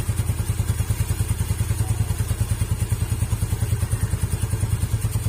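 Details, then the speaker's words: Yamaha Mio scooter after fitting Honda Beat double clutch lining in place of worn, wobbly aftermarket part that sounded very rough: even low putter, about 200 pulses a minute, no clatter; CVT now runs smooth. "Suara sininya jadinya halus kan. Ini tadi kalau pakai ini itu suaranya kasar banget, soalnya udah oplas ini nih."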